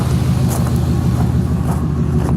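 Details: 2006 Chevrolet Impala SS, LS4 5.3L V8, 69,000 miles, codes P0118, P0300, P0307: uneven, loping idle that keeps stumbling, an audible misfire.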